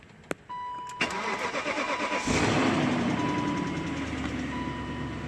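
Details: BMW E38/E39 after repairing broken, corroded DME pins, which had caused misfiring: short crank, catches at about two seconds, then a steady even idle with a faint chime. Runs normally after the repair.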